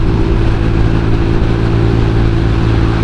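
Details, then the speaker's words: Borrowed temporary scooter engine with a mismatched ACG magneto and standard variator gear ratio, held at high throttle: steady strained drone with rough buzzing rattle; magneto noise stops the rider opening the throttle fully, top speed only about 80. "Dan seperti yang gue bilang tadi ya, mesin ini cuma bisa jalan sampai 80 doang. Dan gasnya gue nggak bisa tarik dalam karena magnetnya berisik."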